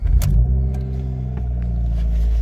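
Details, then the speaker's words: 2015 car that sat two weeks with check engine lights, after a Noco Genius 5 battery restore. It started right up: the engine catches after a short crank and settles into a steady, even low idle with no misses or knocks. "pefully it starts up let's see what what happens started right up"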